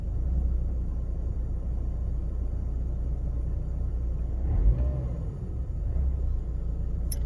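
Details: Mercedes W203 2.0 petrol, cold start: deep uneven low rumble at idle with faint unsteadiness, no top-end tapping, lasting about a minute with petrol smell; rough idle, diagnostics find no fault, cause unknown.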